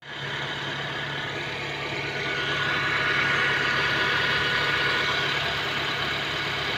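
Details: Honda Civic idling with a regular stumble of about 220 per minute over a steady hum. It is an idle misfire that four mechanics have failed to diagnose.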